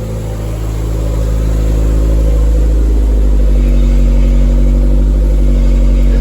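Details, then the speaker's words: Toyota MR2 with a freshly swapped 3SGTE Gen4 engine, kept running to burp the coolant system. Deep, smooth, regular beat with no knocks or rattles as revs ease and settle. Sounds healthy. "Hey, sounds really nice. Yeah, it sounds really good."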